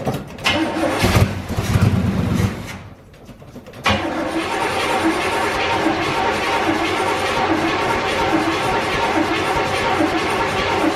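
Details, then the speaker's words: 1984 GMC Sierra C25 3/4-ton, 454 big-block, sat 19 years, new tank, sending unit, fuel pump and carburetor: steady starter churning, a pause, then it catches into a busy idle; slow to fire, probably while fuel primes. "wants to not really sounds like it it's been over good but taking a little while to get primed i guess"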